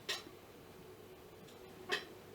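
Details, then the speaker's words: 1966 Fender Deluxe tube amp after electronics work, guitar volume at 0, listening at the speaker: near silent with no hum or hiss, just a faint click about every two seconds from the vibrato oscillator; normal. "On entend un tout petit peu le clic de l'oscillateur du vibrato. Tout petit peu. C'est pas, franchement, c'est rapport signal sur bruit excellent."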